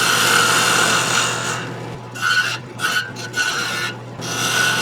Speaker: I'm going to get a lot of vibration down there though, because there's nothing to support the wood as I cut. You can hear the screeching sound, so I know I don't have a lot of support down there.